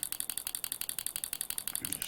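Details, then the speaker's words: 1960s vintage pulse proportional model radio control set on three-cell battery pack, powered on: rapid even ticking about nine to ten beats a second from the actuator's mechanical stops; actuator flapping normally, stick centred. "so here will go power on and you can see it flapping away there now then"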